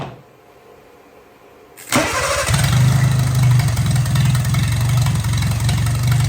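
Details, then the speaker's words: 1957 Hercules Power flathead four-cylinder with magneto, no coolant in it, radiator steaming, not hot yet: cranks and catches into steady, even idle, no misses or knocks; runs pretty good, normal idle. "Okay, it runs pretty good. I don't want to run it too long."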